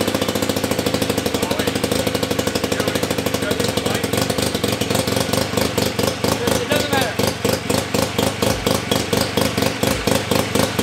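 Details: 1975 KC27 294cc rotary from a Hercules W2000, rebuilt, kick-started with transmission fitted: buzzy rapid even pulsing holds steady, then picks up; running cleanly after the rebuild.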